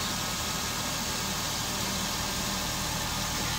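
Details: 2008 Suzuki Swift 1.5 litre, 288,000 km, with codes P0420 and P0171, after an uncoded vacuum leak was repaired: steady, even idle with a smooth hiss over a low hum, no hunting; fuel trims recovered, engine fixed.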